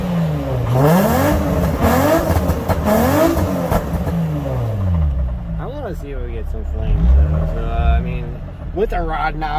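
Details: Petrol car engine after rod knock repair done without removing the engine, revving smoothly up and down, no knocking.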